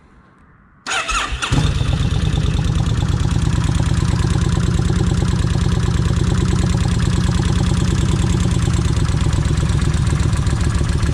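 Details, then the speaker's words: Kawasaki Vulcan 1600 after checking oil bolt for clogging (oil holes looked clean): cranks, catches and settles into a loud lumpy idle with rattly clatter over it; owner expected the rattle, cause not confirmed. "uh I know this thing's going to Rattle let me go ahead and uh crank it if it'll [Music] crank"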